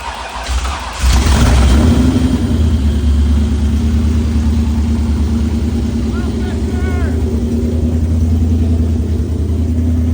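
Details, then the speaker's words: First start of a cammed, built Terminator engine in a Mustang, cold, on open headers with no wideband sensors. It cranks, catches and settles into a loud, lumpy, choppy idle. Oil pressure is high; the big-cam V8 sounds healthy. "the C D you can hear it starts to [Music] chop dude so we got no wide bands open header that sounds good dude she sounds healthy healthy unit right there"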